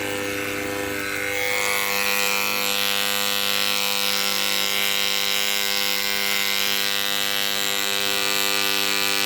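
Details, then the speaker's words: Malysh vibration water pump running in a bucket of water after repair of broken rubber cuff parts: steady high buzzing hum, pumping again, though pressure seems lower than before the repair. "заработал уважаемые друзья по моему давление стало меньше после ремонта"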